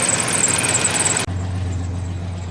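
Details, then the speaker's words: 1987 Chevrolet S10 truck idling while warming up after long sitting: steady idle with a light quick tick following engine speed, suspected noisy lifters from sitting with old oil; Seafoam added to the oil to quiet them. "So the reason I wanted to put seafoam in the oil is because it will help quiet noisy lifters, which you can probably hear that little tick, tick, tick, tick, tick, tick, tick, tick, tick. That's from sitting and also from oil just sitting in there."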